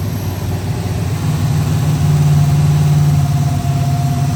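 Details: BMW E30 with an LS3 V8 swap, started at the speedshop: a low V8 rumble that settles into a steady idle after a light blip, with even, clean pulses; the engine is running healthy.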